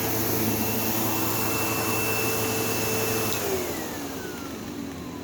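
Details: Sebo Automatic X5 upright vacuum in the living room: loud rough buzz over the motor roar with an intermittent high squeal like a slipping belt, though the belt had tension; brushroll problem.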